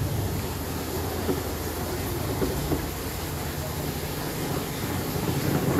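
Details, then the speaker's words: LG washing machine during spin: loud, heavy rumbling roar from the gearbox, whose bearings are crushed. The fix is replacing the gearbox. "Ayan napakaingay niya no. So kapag ganyan ang problema guys ng inyong washing machine, kailangan niyo guys palitan yung pinaka-gearbox. No gearbox guys ang problema niyan kapag ganyan siya no paingay niyan no."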